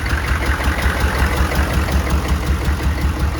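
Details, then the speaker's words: 1995 Chevy K2500 diesel with 350K miles, which wouldn't run and then seemed to knock, idles with an uneven, lumpy miss and smokes. Blow-by is not terrible and it doesn't sound like a rod knock; owner fears the injector pump has failed. "missing and smoking [Music] doesn't sound like a rod knock the blow-by's not terrible exactly sure what it is the uh I'm afraid that it's the injector pump it's finally gone"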